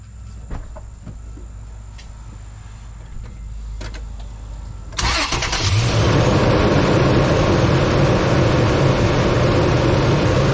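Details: 2006 Toyota Tundra just after replacing a weak battery (47% health) with a new one: after a quiet pause the engine catches at once with a short crank and settles into a steady, even idle; healthy start.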